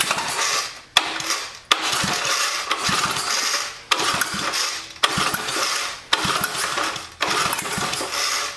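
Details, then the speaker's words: Old Sensation cemetery mower on fresh fuel: engine surges and sags about once a second and won't hold steady speed, running rough; owner suspects it might need a valve job and removes the carburetor next. "almost sounds like it might need a valve job"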